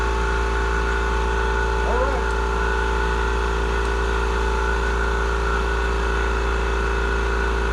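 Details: Murray 42-inch riding mower, 18.5hp Briggs & Stratton PowerBuilt OHV, after cleaning a completely clogged carburettor fuel inlet: smooth even steady drone with no stumbling or surging; healthy normal running.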